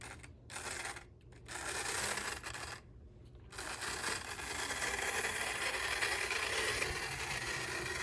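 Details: Decades-idle HO-scale 0-4-0 locomotive from an abandoned train set, purple residue in gears, headlight works; given more track voltage, a faint uneven raspy whir starts and stops, then the little motor frees up into a steady buzz. Normal running.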